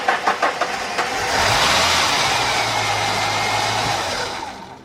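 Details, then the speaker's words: 1990 Ford Thunderbird Super Coupe with a Snap-on amp meter measuring inrush: a few quick, even cranking chugs, then it catches and runs steadily; about 150 amps, roughly 110 from the starter, showing good wiring and ground. "okay 150 amps and we know a line share of that is coming from the starter itself"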